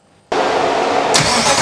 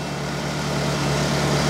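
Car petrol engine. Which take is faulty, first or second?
first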